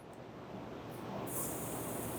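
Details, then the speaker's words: A/C system replacement using a Sanden compressor conversion kit after the original compressor clutch failed. A steady high hiss builds and holds as the port plug is pulled from the new compressor, releasing its shipping nitrogen charge. "You'll hear that hiss there, that's the nitrogen in these compressors."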